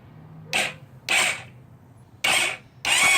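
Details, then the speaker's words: GY6 scooter engine cranked on the starter with spark plug removed during top-end crank test, battery about 12.5 V: four short, even bursts of light airy whirring with no compression strokes; flywheel and stator spin freely, normal. "without spark plug in there it can you could spin all day long so yeah the stator is spinning"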